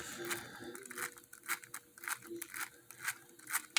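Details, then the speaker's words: Small axle turned by hand near the microphone: uneven gritty crackles and clicking from a bad bearing; both axles have a bad bearing. "you can hear the bad bearing in this one there's a bad bearing in both of them but this one let me move it over here by where my microphone is you can hear it clicking"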